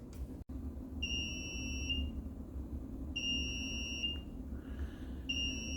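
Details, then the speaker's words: Homemade powder coat oven control panel alarm buzzer tested after wiring; three clear high-pitched one-second beeps over faint room hum, not very loud but audible; buzzer works properly. "And while it's not particularly loud, it is loud enough to hear it. So this is terrific."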